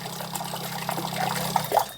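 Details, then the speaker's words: Homemade mini self-priming water pump driven by a 775 DC motor with a check valve, switched on: steady low motor hum with water trickling through, then a clean cut-off; it draws water automatically though pressure is a bit low; normal running. "এটা জল automatic টানতে পারে কারণ এটা self start motor, যে জন্য 775 DC motor এখানে লাগানো হচ্ছে, কিন্তু প্রেসারটা একটু কম, তবে এটা অটোমেটিক জল টানতে পারে।"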